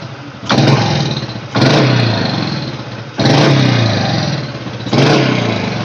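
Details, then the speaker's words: Honda Supra Fit X motorcycle, test after repair (earlier: died on throttle, spluttered, hesitated despite servicing, block opening and carb cleaning); air screw set for highest idle: four sharp clean blips, about every 1.5 s, easing back down. Response not instant but full at the top. Normal response. "Iya seluruh motor tuh kalo digas kejut yang enggak langsung respon Mas tapi kan nggak kosong ujungnya berisi ya"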